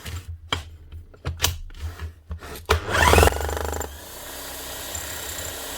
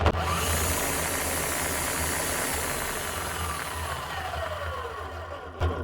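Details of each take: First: Bosch GSH 11 E demolition hammer, about 25 years old, after repair with two new O-rings and fresh grease: handling clatter, then a short burst of fast, even blows and a steady motor hum; hammer action healthy. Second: Bosch GSH 11 E demolition hammer, 21 years old, before repair: the motor spins up with a harsh, gravelly roar and uneven rumble, then coasts down; bearings gone, with no sparks, so the armature is hopefully fine; worn armature bearing.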